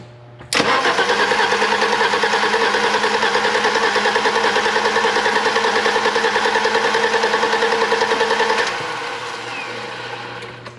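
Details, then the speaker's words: 1987 BMW 325i E30, sat after a paint job, fresh distributor cap, wires and plugs: even starter churn about three turns a second for eight seconds with no firing; crank-no-start, crank sensors or PCV suspected. "I feel like something with the crank sensors. Probably. Like, it's not even trying to start."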